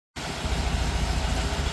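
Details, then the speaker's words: 1959 VW bus, 36 hp air-cooled flat-four, Bosch starter cleaned, bench-tested and refitted, dead battery recharged: fired right up into a low, steady, even chuffing idle with no skips or knocks. "But I did charge it up enough to get the bus started, and as you can hear, it's purring like a 36 horsepower kitten. Pretty much fired right up."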